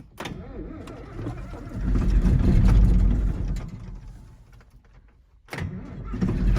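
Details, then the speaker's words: John Deere 8640 diesel tractor started cold at about 30 degrees with no ether and not plugged in: cranks, catches and settles into a deep, steady rumble with even firing and no misses; normal cold start. "No ether, not plugged in. It's probably around 30 degrees."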